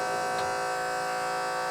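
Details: MB electric hydraulic power steering pump on a budget time attack Honda Civic, ignition-switched trigger: steady electric motor whine with even pitch, no rattle or surging; pump running normally.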